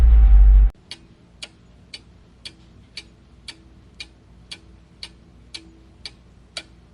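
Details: Honda engine at idle: sharp, evenly spaced ticks about two per second over a faint low hum, traced to the rear-bank timing belt area, where the timing belt has a lot of slack; cause suspected, not confirmed.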